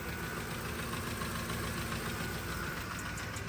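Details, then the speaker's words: Cheap Copart truck at idle, heard under the hood: steady idle with fast, somewhat uneven light ticking, about three to four per second; owner suspects cam phasers need replacing, unconfirmed. "I hear some sort of ticking take a listen so I hear some sort of ticking under the hood as it's running"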